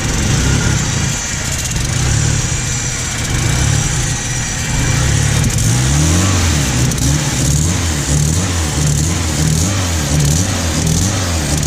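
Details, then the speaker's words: 1991 Mitsubishi Galant VR-4, E85 tuned, custom turbo kit with a repaired welded turbo manifold: lumpy idle with sharp puffing tick on each firing pulse; exhaust leak at turbo V-band clamp, possibly not seated correctly. "well looks like the v-band might not be on quite correctly on the board just needs to get more Titans not too sure let the car warm up"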